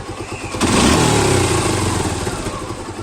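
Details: Suzuki Gixxer motorcycle: a short crank, then the single-cylinder catches and settles into a steady, even idle with a regular thump and no clatter.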